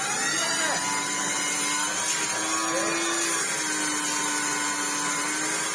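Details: Hoover Turbopower 2 Autosense after refitting the motor housing and the thermal cutout link wire: strong steady high-pitched motor whine with airflow rush, speed holding even without surging; running properly now, where before it ran terribly.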